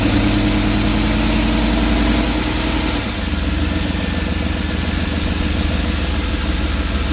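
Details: 5.7 L TBI V8 idling louder than normal with a puffing, ticking edge over the exhaust beat, interior engine cover removed; exhaust leak somewhere in the engine compartment.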